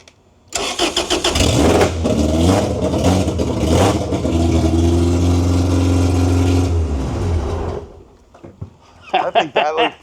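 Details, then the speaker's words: 1992 Honda Civic VX with a rebuilt Jackson Racing supercharged B18C VTEC engine, first start on carb cleaner with new gas and a Derf Tuned base map. It fires after a short crank, runs rough, rising and settling for about six seconds, then dies when the fluid is spent. "All right, so we're going to try and start this with some carb cleaner. Let's see how it goes."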